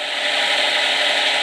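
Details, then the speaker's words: Micro hydro turbine on the small jet; steady rushing water hiss with a faint even whir, turbine spinning slowly but smoothly with no knocks or rubbing; normal running at low speed. "and i just heard a change you probably can hear it it's like a lower tone now hey box too much let's close it so that's what it sounds like with the smaller jet not too bad"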